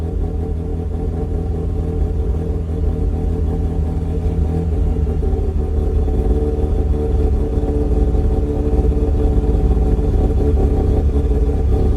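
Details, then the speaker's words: 2004 Mazda RX-8 rotary track car, makeshift intake manifold, sensors needing relearn, fans disconnected, hot day: held around 2,000 rpm with a rough, uneven drone and no settled idle; unstable idle, stalls below 2,000 rpm. "Yeah, definitely doesn't like going less than 2,000."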